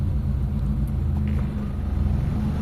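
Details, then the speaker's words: Mitsubishi Lancer after distributor fix, original MAP sensor reinstalled and confirmed good; AC switched on, idle-up servo raises revs, steady even low idle rumble with no misses under AC load. "So tumataas naman yung servo natin oh. Yan, umaangat naman siya mga boss oh."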